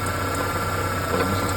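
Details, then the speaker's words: 1993 Ford Ranger 2.3L idling with a steady high whirring squeal over the low hum, traced with a mechanic's stethoscope to the worn belt tensioner pulley bearing. The fix is replacing the tensioner pulley. "proviene al parecer destruido proviene esta polea que está aquí abajo sobre el tensor de la banda"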